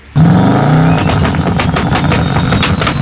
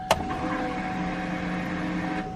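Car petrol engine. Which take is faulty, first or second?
first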